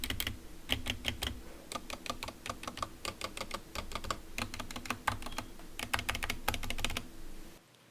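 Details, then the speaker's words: Skyloong GK61 optical mechanical keyboard with stock Gateron Yellow optical switches, initial typing test before lubing and filming: crisp key clicks, smooth but with some scratchiness and hollow stabilizer rattle on bigger keys. "As you can hear, it is still smooth but with some scratchiness. Our goal for this modification process is to make it more smoother and fix the rattles from the stabilizers."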